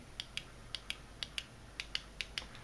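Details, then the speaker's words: Atmor instantaneous electric water heater flow switch: crisp, sharp clicks in quick pairs as the diaphragm seal presses the two microswitches, one per heating element; switches working, though the rubber diaphragm had dried out and torn. "הוא לוחץ על החלק הזה, שבתורו לוחץ, כל החלק הזה כולו לוחץ, את שני המפסקים האלה שיושבים פה, אתם שומעים את הקליקים?"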